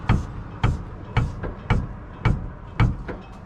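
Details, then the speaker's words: Stewart & Stevenson LMTV 1088-series 6x6 military truck, passenger side cab air suspension: sharp hollow clunks as the cab rises, caused by worn upper mount bushings on the shocks inside the airbags; fixed by new airbags. "So when the cab goes up, you hear that clunk, and I'm assuming it's something in the airbag. It's probably a bad bushing or something of the sort."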